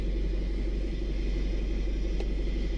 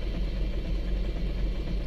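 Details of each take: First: 2011 Isuzu Alterra diesel after fixing a hard start caused by a broken camshaft position sensor wire, spliced, sensor itself fine, no codes: steady, even rumble at constant speed with no misses, stumbles or knocks. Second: 2011 Isuzu Alterra 3.0 diesel with hard starting and a broken camshaft position sensor wire, after the code was cleared: a low, lumpy idle with an uneven beat that never settles, still running rough before the final fix.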